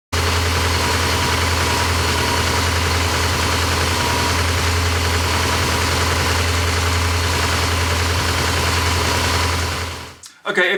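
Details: Porsche 928 V8 idling steadily with a smooth low rumble, no knocks or misses, until shutdown; brief check run after oil pump work, with auxiliary belts and clutch fan still off. Runs healthy.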